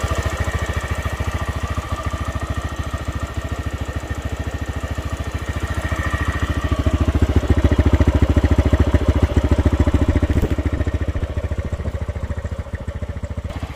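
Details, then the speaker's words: TVS Raider 125 motorcycle at about 28,875 km: an even light 'ting ting' ticking around three per second at idle, quickening and getting louder as revs rise; valvetrain ticking from a worn rocker. "अब हम बताते हैं इसमें अभी क्या annoying sound आ रहा है listen carefully कुछ टिंग टिंग टिंग टिंग टिंग टिंग साउंड आ रहा है"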